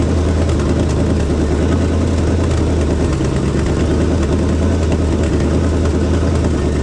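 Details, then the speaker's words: 1976 AMC Gremlin, AMC 360 (5.9L) V8, after retarding the timing from about 25–30° to about 12° BTDC. A deep, steady V8 idle with an even low burble and no stumble or miss. Normal idle. "it sounds way better it was really Advanced that's probably close to like 25 30 or something like that it's about 12 now so so that fixed a lot of that that that's idle like a lot better now"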